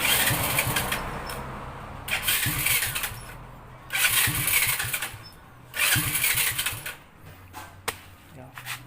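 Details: Honda Dream 100 that wouldn't start on the electric starter but would on the kick starter, after repair: the engine catches and runs with throttle blips every couple of seconds, revving cleanly.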